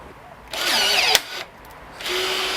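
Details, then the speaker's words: Minova cordless 1/4" rivet tool on 4 Ah battery setting a Hemlock stainless rivet: two short bursts of high motor whine, slight strain as it pulls up quickly; rivet sets cleanly in one shot. "one shot no worries you did hear it struggling a tiny bit it's pulling up pretty quick so it's not surprising"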